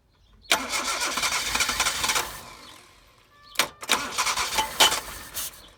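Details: Toyota AE82 project car started after sitting 7 months, new petrol filter fitted, battery recharged; engine catches and roars in two short bursts then dies each time, won't keep running; fuel delivery suspected.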